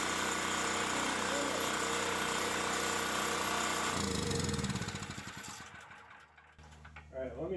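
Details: Champion 3500 W generator after carburettor cleaning, having sat all summer with old gas and run only on full choke; quick even chatter for about four seconds before dying away; clean steady run, normal.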